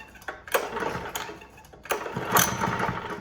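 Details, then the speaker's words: Honda GX120 with the kill switch wire reconnected: slow rope pulls bring a single weak pop, but it never catches. No start from ignition cut by a faulty low-oil sensor. "Alright, so what I found out is I didn't have to unplug that wire. I had a faulty low oil sensor."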